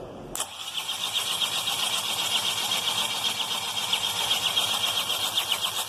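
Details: Overhauled BMW N47 diesel cranked with injectors fitted but no fuel, after turning smoothly without injectors: harsh rapid knock about four per second over the starter drone; heavy internal knock, cause suspected, not confirmed.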